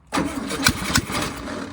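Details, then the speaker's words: 1968 VW Baja Bug barn find, first start attempt with the ignition hooked up and a little gas added; short crank with a couple of uneven pops as it briefly fires and dies; sputtering, with a liquid sound noticed. "It's like playing with a toy almost, this thing. I can smell it though, it's firing. Did you hear like a liquid sound?"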